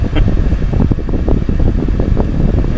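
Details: Chevrolet HHR heater/AC blower stuck on high while the AC was running: loud, steady fan roar holding the same pitch whatever the blower switch setting; it will not turn off or down.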